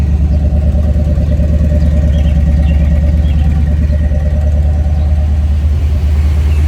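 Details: 1976 Chevrolet Corvette, numbers-matching rebuilt 350 V8 with more performance, Borg-Warner 4-speed; deep, even rumble at idle with a steady beat and no knocks, misses or ticks. Normal, smooth-running idle.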